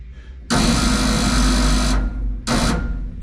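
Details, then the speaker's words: 1947 Ford cab-over truck with V8, start attempt after about 60 years sitting: high fast whir in bursts with no cranking or firing; starter spins without turning engine, suspected starter drive or ring gear slipping, possibly after solenoid change. "so what's up with that is the ring gear spinning on the flywheel now or I'm not oh or it's the starter Drive spinning"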